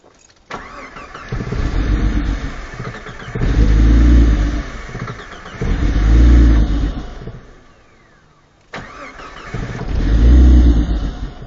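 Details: Jeep Cherokee after being submerged in water, with water drained from the ECU: three long cranking bursts with a few weak firings that never catch, so it cranks but will not start.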